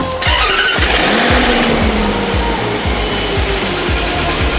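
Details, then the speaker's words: Range Rover with BMW-sourced 4.4 engine, pre-warmed by the seller to hide knocks, check engine light on; harsh rhythmic knocking, about two per second, right after starting, sounding like a timing chain rattle. Cause unconfirmed. "У нее прям что-то, как будто цепь жестко. Это плохое. На старте."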